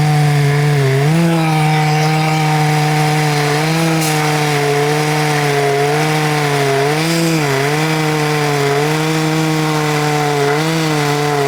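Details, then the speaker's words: Husqvarna 266XP built from mostly OEM and NOS parts, cutting wood: a high buzzing two-stroke whine that dips and recovers under load with a slightly rough undertone; the owner suspects the bottom-end bearings, which were never replaced. Rough running under load. "it sounds like it might need bearings on the bottom end. I never put those in there."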